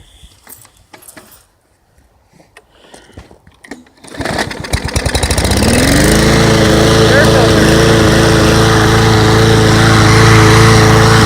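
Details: Mower that would not start until its clogged air passage was cleared. After some handling clatter it fires, picks up over about two seconds and settles into a smooth, even run with no misses.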